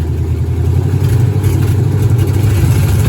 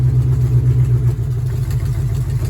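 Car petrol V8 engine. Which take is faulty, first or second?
first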